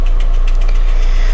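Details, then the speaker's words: 2001 Skoda Octavia 1.8 turbo petrol engine at idle, revs steady: sharp, fairly regular tapping about four or five knocks a second, strong, also appearing when throttle blipped; owner suspects hydraulic lifter or broken rocker, not confirmed. "есть такой стук очень сильный обороты не плавают все нормально вот немножко накажу нажимаем и одновременно появляется стук"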